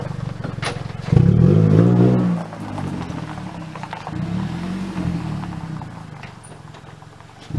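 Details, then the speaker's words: Car exhaust sounding like a cherry bomb muffler: loud, raspy blatting that swells as the engine revs, then drops to a rough, hollow burble; failed muffler, confirmed needing replacement. "you guys have to listen to this car it sounds like there's a fart can or a cherry bomb on the back whatever they're calling them these days"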